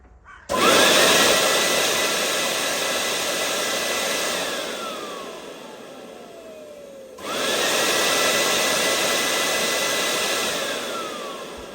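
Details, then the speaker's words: Nearly 30-year-old Miele S312i vacuum cleaner after strip and clean, run at full power outdoors with lid open: smooth high whine spins up, holds and winds down, restarts cleanly; motor healthy, carbon brushes have plenty of life. "I don't think it's spat that much out to be honest. Sounds quite good to be fair."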